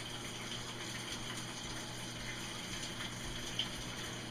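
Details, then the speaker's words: Whirlpool Cabrio washer in automatic test mode after its motor capacitor was replaced. The hot water valve is actuating and water fills with a steady, quiet hiss, no chatter or hum; normal fill. "so right now we got the hot water valve actuating I can hear the water"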